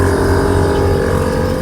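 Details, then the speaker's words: 1977 Lincoln Mark V lowrider, Accuair E-Level air ride with two Viair pumps, after replacing a bad check valve that kept blowing one pump's fuse: both compressors droning together in steady hum, filling an empty tank normally. "Yep, when you have two tanks or two pumps, you can hear them harmonizing together when they're running, or you can just feel them. They're both working, so the tank is completely empty."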